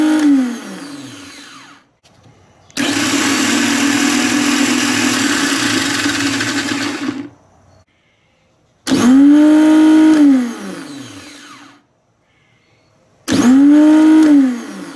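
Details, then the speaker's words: New Nissan Maxima starter on a bench test, solenoid jumpered to battery positive: three short spins, each winding up quickly to a smooth, steady whir and spinning down cleanly; smoother and more powerful than the old remanufactured unit. "That sounds a lot different than my old one. Sounds really smooth, and a little more power."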